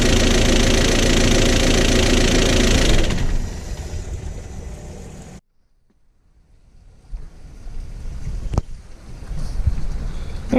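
A harsh rapid clatter at about four beats a second rides over the idle for three seconds before the engine dies; top-end knock. Cause suspected, not confirmed.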